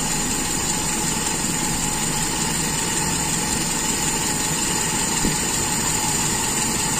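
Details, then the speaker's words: Toyota Kijang Super carburettor engine after sealing the secondary air leak and closing the air screw further: even, settled idle with a constant hum, no hunting or stumbling; idle-to-primary transition shows no stumble, judged normal. "dan kita tes perpindahan dari Stasion ke primer apakah masih nggel tidak tidak terjadi nggel jadi menurut saya ini masih dalam kondisi yang wajar"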